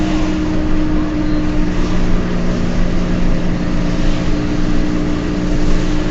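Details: Peugeot 206 driving: steady low droning hum over tyre and road roar; owner attributes it to bad wheel bearings.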